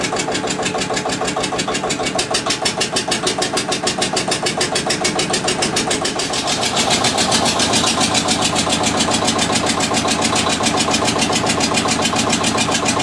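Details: Witte diesel generator, unstarted 45 years, refilled with water and three gallons of oil: slow even chuff about three beats a second picks up slightly then holds steady, runs cleanly; generator output only about 2.5 V versus ~64 V expected.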